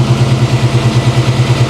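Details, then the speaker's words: 1994 Chevy C1500, 269,000 miles, built V8 (BluePrint Engines receipt), fuel pressure about 6-7 psi: even lumpy idle pulsing about seven beats a second, smooth and clean; runs like a top. "six 7ish PSI this thing runs like a top man yeah I think I'm driving this home today"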